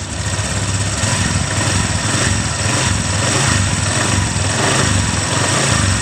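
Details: Honda Vario 125 (first-generation) scooter, after fitting a new NPP CKP sensor to fix ACG starter not working: steady, even putter at constant low idle with no misses or surges; engine idling cleanly.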